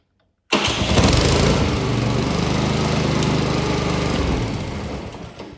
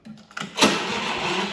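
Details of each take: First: Electric-start Honda lawn mower with a weak, low-charge battery, jump-started with a jump pack: the engine catches almost instantly and settles into a steady, even run, a normal healthy start. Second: Honda electric-start lawn mower tried without the jump pack connected: a few faint clicks, then a brief strained, hissy whirr that fades without firing; the starter battery has a very low charge.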